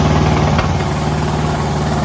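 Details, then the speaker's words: Poulan riding lawn tractor with a 19.5 hp Briggs engine, after a carburetor clean and reconnecting the solenoid plug: steady, smooth single-cylinder idle with no misses, surging or knocking; the battery still needs replacing. "got the car back together man I couldn't get it to run originally and then I realized I left the solenoid switch a little plug off the bottom but uh yeah see if it'll idle yep"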